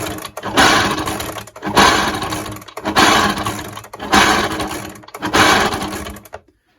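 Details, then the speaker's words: Echo backpack blower, noisy when running, pulled over by hand five times without firing: rough dry grinding whirr; owner suspects pitted, rusty crank bearings rather than the crank itself; new crank bearings fitted. "To me, that sounds like noisy bearings, and I think putting new ones in will sort that out."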